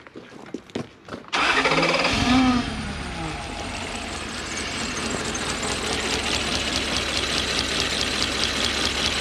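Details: Toyota 1UZ-FE V8 (Surf/4Runner), spark test shows no spark from one distributor side: catches after a few cranking pulses into rough, uneven idle; one bank dead, lead or rotor suspected.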